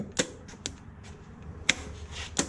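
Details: Junkyard Oldsmobile 350 that sat for years, on an engine stand with fresh fuel pump, plugs, wires, oil and a gone-through carburetor: four sharp single clicks at uneven intervals, no cranking. The starter is suspected, not confirmed.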